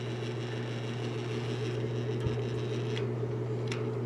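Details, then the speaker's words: Vintage General Electric 3-speed reversible box fan, once nearly seized, running after years unused: low steady hum with faint rattly buzz and no speed change; sluggish motor, dry bearings needing oil, emblem vibrating. "yeah that's about how I remember it ran it definitely could use some oil"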